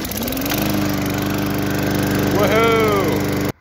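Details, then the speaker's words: Briggs lawn mower after swapping the wrong NGK RFR5 spark plug, which caused backfiring and no-start, for a new E3.20 plug: steady even drone with a brief pitch rise, no misfire or backfire; normal running. "well as you just saw there spark plug was the issue"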